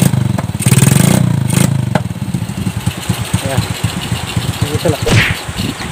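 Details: Shogun R125 single-cylinder motorcycle that was hard to start, after a new part was fitted: catches after a brief crank, revs up, then settles into a steady, even idle with clean firing, running normally.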